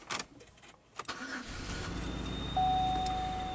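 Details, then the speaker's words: Pontiac Aztek engine with a suspected electrical short near the battery: cranks, catches, idles, then a steady high-pitched squeal/screaming; shown not to come from the belt or pulleys, source somewhere around the engine still unknown. "noise is still there seems to be a pretty strong battery in it and the second mystery kind of being well we least found out that the screaming noise is not coming from the belt or pulley assemblies for some reason it is coming from somewhere somewhere around the engine"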